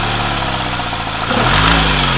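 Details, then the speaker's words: BMW N42 petrol after replacing the faulty exhaust-side camshaft adjuster (VANOS): smooth, even idle with a light throttle blip and no more timing chain rattle or ticking. "keine Kettengeräusche mehr. Es lag an dem Nockenversteller Auslass, was sehr, sehr oft kaputt geht."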